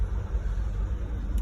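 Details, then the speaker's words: 2012 Dodge Durango 5.7 V8 after clearing codes: rough, lumpy idle with two hard misfires on cylinders 2 and 3; compression test found zero compression on cylinder 2. "I cleared the codes and I'm gonna start it now, and we're gonna see two misfiring cylinders, two hard misfires, okay, which"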